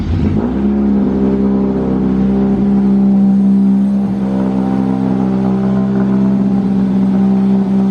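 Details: Honda Civic Wagovan D16Z6, after fixing the dead cylinder: steady, even engine note at constant speed with no stumble, all cylinders firing, though still a slightly odd sound.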